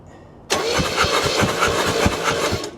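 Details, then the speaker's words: 1968 Oldsmobile Delmont 88 with 62,000 original miles, parked 36 years, after a new negative ground strap: starter cranks steadily and the engine never catches. No spark because the points are out of adjustment. "No, nothing. Points are uh not adjusted right."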